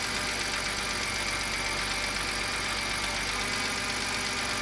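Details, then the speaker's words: BMW 328i E90 just after N52 engine swap, new exhaust gaskets, idling: loud hissy whine over steady idle from the power steering pump, air in the refilled system. "those are the new gaskets for the exhaust and that's the power steering pump making a lot of noise no big deal sounds good we'll bleed the power steering system by turning the steering wheel back and forth from stop to stop multiple times until the whining noise stops"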